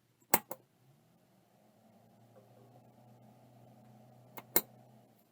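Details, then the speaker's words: Seagate ST157R RLL hard drive on power-up: two sharp clicks, faint low hum trying to build, then nothing; never reaches speed, shaken to free it. "let me uh shake it around a bit h I can hear it start trying to spin but not much more"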